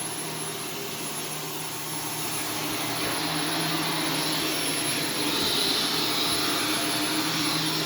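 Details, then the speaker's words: Vacuum on carpet mode picking up Arm & Hammer carpet freshener powder: high airy whine climbs and strains, sounding choked; fine powder coating cyclone. "it sounds like it's choking what it sounds like it's choking probably because it is"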